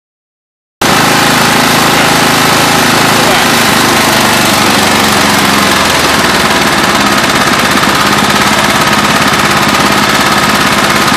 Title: Murray engine knock